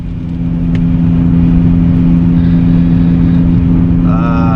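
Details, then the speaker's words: 2020 car after rear wheel repair, driving at 20–25 mph where the noise used to start: steady low road hum with no growl or drone building with speed. The rear bearing now runs quiet and sounds normal. "ya no se escucha amigos decimos buen trabajo ahora si se escucha normal"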